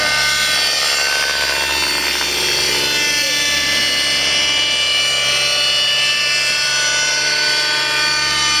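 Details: Redline 56 nitro engine in a Velocity 50 RC helicopter, running lean mid-3D flight after the exhaust pipe was replaced and the mixture not rechecked; constant high screaming note under load with no richness or burble, then the engine blew, losing compression.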